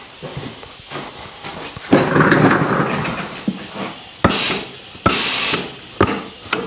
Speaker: so it works but there's a leak you can hear it I can feel it you see my hair a little bit